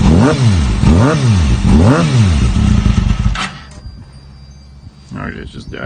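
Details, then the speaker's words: Mini buggy crosskart engine (redline 15,000 rpm) on its first start, cold; three quick blips to only about 3,000–4,000 rpm rise and fall cleanly without misses, then it dies on its own. Normal cold revving. "That was a pretty good start. And that sounded really good. I wasn't revving it very high because it is cold."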